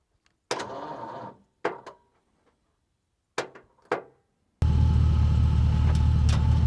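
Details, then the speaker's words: Scrap-built dump truck, gasoline engine, not run in a long time: several short sluggish starter bursts dying off, then a longer steady spin; 11-volt jump pack turns it, old battery won't, owner suspects battery lacks cranking amps. "little I think if we get a new battery with more cranking amps we'll get it to spin the jump pack at 11 volts gets it to turn 2500 doesn't get it to do anything"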